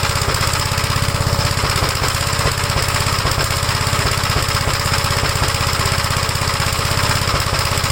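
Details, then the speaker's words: 1956 Gravely L single-cylinder at idle, started on the first pull from cold: uneven, stumbling chuffing with misses, running rough. Vacuum leaks were already checked, and the carburettor is suspected but not confirmed, with a carb swap from a '57 LI planned. "you can uh hear that it's not running right at all but it starts on the first pole when the engine's called"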